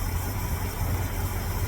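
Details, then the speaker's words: 1972 Ford F100 with a 390FE V8 after swapping a Holley 600 carb, which leaked air at the throttle shaft, for an Edelbrock AVS2 625. It gives a low, even V8 burble with a steady beat and a smooth idle. "is just straight up it's started it's running and it's idling so we'll see how it goes"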